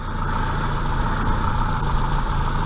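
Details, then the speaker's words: Austin Maxi at idle, first start after about three months laid up: a steady, even low hum with no misses, knocks or ticks, running smoothly like a little sewing machine; slight oil drip from a crank seal noted, clutch still needs doing. "she does sound same spot throwing away like a little sewing machine"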